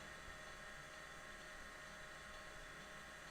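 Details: IBM 0665 MFM hard disk, owned since new in the 1980s, running a surface scan: steady, even whir with faint high hiss, no clicks or scraping; spinning and reading normally.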